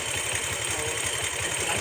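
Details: Bajaj Pulsar motorcycle after timing chain replacement and tensioner adjustment: steady, even idle with a regular low pulse at the firing rate and no tapping or chain rattle; timing chain noise gone, engine healthy.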